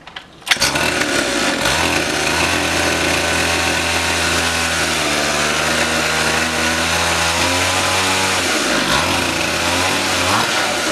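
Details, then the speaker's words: Rebuilt pit bike single-cylinder, first run after the rebuild with no exhaust fitted. Loud raw booming bark with rattly crackle over a fast run; the open exhaust port blares straight out, causing the rattling and booming. "Guys, there's no exhaust on it. We didn't. Oh yeah. Oh, that's what that rattling."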